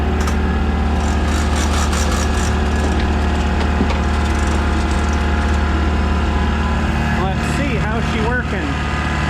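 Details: Air compressor running, freshly powered from a new shop circuit: constant low hum from motor and pump, no knocking or labouring, running normally.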